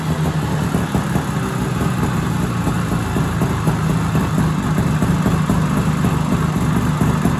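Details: 1970s Sno-Pony snowmobile, JLO 340 twin two-stroke, sat 20-30 years, warm: steady buzzy idle holding an even beat without misfiring or dying; normal running.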